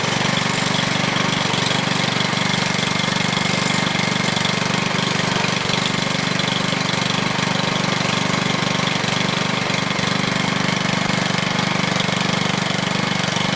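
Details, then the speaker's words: New MTD Yard Machine walk-behind edger, Powermore 140cc OHV four-stroke gasoline engine, first-ever start: runs on at a steady, even idle with a constant buzz and no misfires or stumbles; healthy normal idle. "real easy to start that was the first time that's ever been started"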